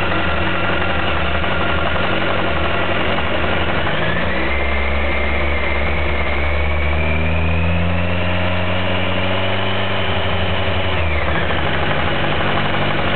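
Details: 2007 Kawasaki ZX-14 with 500 miles, stock: a dull bottom-end knock at idle that rises and falls with a brief rev. The dealer calls it a normal knock for the model; the cause is unexplained.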